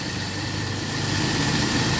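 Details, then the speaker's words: Toyota Kijang LGX 1.8 manual, 2004, heard in the engine bay at idle: steady, even, soft low hum with no knocks, misses or ticking; normal smooth, healthy idle. "ini mesin posisi nyala tapi suaranya halus banget. Nah, untuk suara mesinnya seperti ini, kondisi mesinnya ya."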